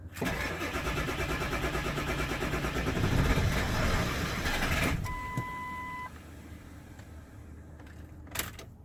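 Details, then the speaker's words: 1999 Ford F-250 7.3 Powerstroke diesel, sat over 3 years, start attempt with ether: even cranking about five seconds, almost catches, oil pressure gauge rises, then chime; no start, owner wonders if out of fuel. "Oh, mama. It almost went. It wanted to go. This oil pressure gauge came up."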